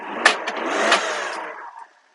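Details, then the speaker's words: Honda HA3/HA4 Japanese mini truck, 17,392 miles: engine cranks briefly and catches at once in a clean, quick start, then settles before it cuts off; normal, healthy start. "Boy, that fired right up too."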